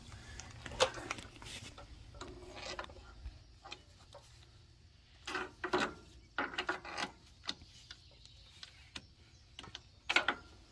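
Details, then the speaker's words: Freightliner steer axle wheel bearing removed and spun by hand gives uneven gritty rasping and clicking bursts; the bearing is rough and no good. "Oh, okay. Yeah, that bearing's no good. You can hear it. She's no good."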